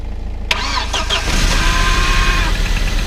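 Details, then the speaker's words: Audi Competition Quattro (about 200 kW on dyno), started on jump cables as the battery is likely flat from sitting: short crank, then catches and holds a rough, uneven running note. "Ilmselt see aku on ka seismisest veits tühi."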